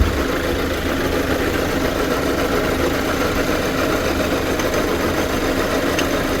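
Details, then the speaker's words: Hyundai Santa Fe CM diesel, restarted after new accessory belt fitted: steady idle with faint gritty grind still under it from the belt drive; alternator ruled out, AC compressor replaced, traced to worn power steering pump. "엔진이 어떤 소리 를 내는지 확인 하기 위해 이렇게 시동 을 걸어 보겠습니다 . 아 , 아직도 소리 가 나 는 것"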